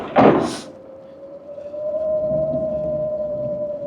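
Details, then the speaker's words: Heybike Villain electric pit bike with a chain-driven mid-drive motor, 4.1 kW peaking near 4.6 kW, while riding: after a thump, a thin steady mid-pitched whistle holds at one pitch; source not identified. "What is that noise? Why does it sound like a whistle?"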